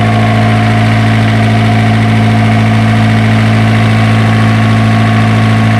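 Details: Isuzu diesel generator engine, previously hard-starting, now running after troubleshooting: a steady, even idle with a firm low thrum and no misses or knocks; runs smoothly and healthy.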